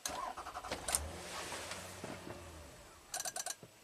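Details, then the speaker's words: 2004 Toyota Avalon, cold start, with a clicking dash, flashing check engine light, erratic temperature gauge and a stored transmission solenoid code: brief crank and catch, then about five sharp relay clicks and the engine stalls instantly. "click click click click and then just stalls out instant stall key on want to give it some gas huh I can't even drive it to my garage"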